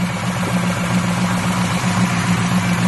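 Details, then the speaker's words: Buick Regal after startup idles with a light, uneven tapping knock about four a second over a low hum; not the tensioner pulley, which shakes from a wrong, misrouted serpentine belt; knock source unconfirmed; engine knock at idle. "You hear that little knocking noise? Now, you would think it's that tensioner pulley, which is not."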